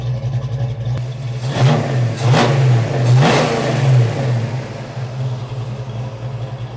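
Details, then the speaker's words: Fox-body Mustang V8 with new heads, cam and intake, after the electric choke wire was reconnected: a deep, even burble with a couple of quick throttle blips that rise and settle cleanly; normal idle. "There you go, you're a fox body. That's the way they're supposed to sound. That sounds good."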